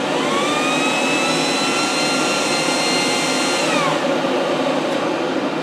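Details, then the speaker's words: Air heater test-run indoors with exhaust piped outside, about 2 minutes after switch-on as the fuel pump starts: smooth fan whine climbs in pitch then holds steady, no rattles or scraping; blower running cleanly at speed. "Right, we're about 2 minutes in and the pump has just started. Now you can hear, now it's really pulling up speed now."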